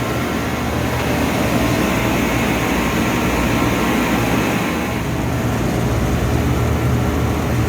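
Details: 25-year-old 50-ton Trane split system: steady airy whoosh and low even hum from the new condenser fan motor (rated 1.8 A, drawing 1.7 A), with no squeal or grind, while about 70 lb of refrigerant is charged; it runs smoothly.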